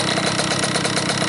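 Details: Cobra 50cc two-stroke dirt bike, first start in a couple of days on a humid ~90°F day with head temperature about 86: fast, buzzy idle holding a steady pulse without stumbles or misses; runs good, normal idle.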